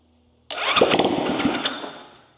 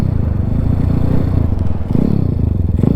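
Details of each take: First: Zongshen Z190 engine swapped into a Honda C50 motorcycle fires on its very first start, a burst of a few rough firing beats that fades within about two seconds; choke then added and it runs. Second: Zongshen Z190-engined Honda C50, geared down, on the road: low, rough thumping that stumbles and loses its beat under load, bogging; rider wonders if it is running out of fuel, cause unconfirmed.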